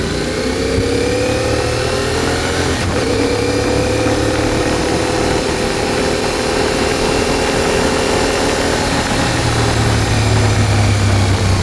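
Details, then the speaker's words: CFMOTO Ibex 450 after Team MSC ECU tune, riding: single-cylinder pulls steadily with even climbing note, no surging or hesitation; smooth throttle response. "Well, that's definitely a lot smoother."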